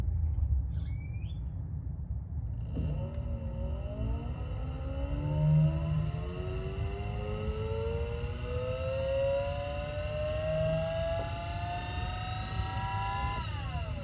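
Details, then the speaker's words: Electric power steering pump in Nissan S14, trigger/switch powered before the speed cable: faint whir climbs slowly in pitch over about ten seconds as the pump spins up slowly; advised to prime pump slowly to avoid damage if reservoir is low. "So basically that pump is turning on, but it's turning on real slowly. So I recommend you guys to turn it on slowly to prime the pump."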